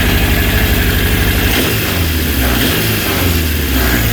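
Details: Honda CB750 K2 four-cylinder with new electronic ignition, started before carb balance: lumpy, stumbling idle with a missing pulse, running on 2–3 cylinders; ignition ruled out, carburetion fault, cold header pipe on non-firing cylinder.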